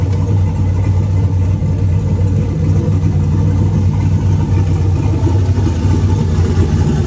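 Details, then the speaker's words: Turbo 4.8 V8 Blazer, Trick Flow 216/220 cam, warming at 130 degrees, idling down toward about 750: deep, slightly uneven lumpy idle, mild lope not a distinct chop; idle AFR hunting 15.2–15.3 in cold weather. "starting to idle down it's got a noticeable like idle to it but not a real distinct chop"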